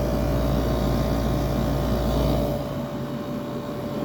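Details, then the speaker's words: Fedders window air conditioner, rotary compressor drawing about 10 amps, dirty unit: even low drone with a steady mid tone, noticeable shake but no knocking or rattle; compressor running normally. "I take back what I said about these compressors being smoothed this thing really does Shake sounds good though I really like the sound of this"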